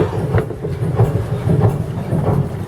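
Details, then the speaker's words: Dutch barge (tjalk) two-cylinder diesel main engine with decompression valve, just started with cooling water still cold, exhaust visible: slow, even, lumpy idle thump, each beat alike, no knocking; normal idle. "Écoutez-moi ça. Vous voulez voir l'échappement, on le voit mieux là. Ça, c'est vraiment de la musique."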